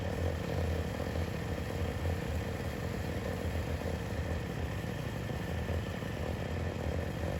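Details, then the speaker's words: YFZ WR450 478 hybrid after head gasket repair, reassembled and started: steady even single-cylinder thump with light clatter on top at constant idle, no misses; engine healthy. "we can hear that it has compression i already know it has compression now we're just going to get back to the motor and back everything put back on and see if we can get this thing fired up"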